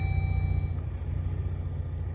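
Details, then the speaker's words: Jeep Gladiator with electrical gremlins: random dash warning chimes and a blind spot alert ring over a low idle rumble. Center stack buttons blink, infotainment drops out, auto stop-start not working; electrical warning chime with no obvious cause. "We're getting all kinds of random dings, blind spots. You could see the auto stop start isn't working. Oh, here we go, blind spot alert."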